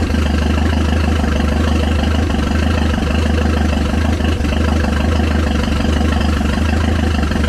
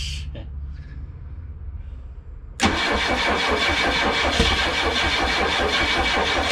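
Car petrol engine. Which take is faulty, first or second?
second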